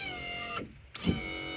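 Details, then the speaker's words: 1995 Kawasaki Mule KAF620A, hydraulic dump bed lowering after flushing about 2.5 quarts of fluid: electric pump whines high and buzzy for about half the downstroke, stops, restarts loudly; raising is fine, electrical-fire smell, owner thinks the pump is dying. "for whatever reason the downstroke just is making a Ruckus I don't know why but uh I think the pump's dying"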